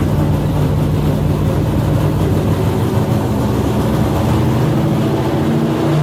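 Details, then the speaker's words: Customer's carbureted drag-racing V8 on the dynamometer, running alcohol from a temporary gravity-fed bucket: a loud, steady, even bark with no knocks or stumbles, with timing and carb jetting slightly off perfect. Normal running. "Adams beast is running beautifully just a little timing and jetting the carbs away from perfect.."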